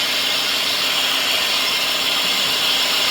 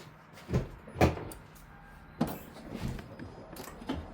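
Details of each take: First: 2008 Lexus LS460 V8 at idle after a transmission fluid service: steady high-pitched shriek from a serpentine belt tensioner/idler pulley, likely worn; belt to come off and pulley to be replaced. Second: 2008 Lexus LS460 after replacing noisy serpentine belt tensioner pulley: a few clicks, then cranks, catches and settles into a steady quiet idle with no belt shriek; belt drive healthy, normal idle.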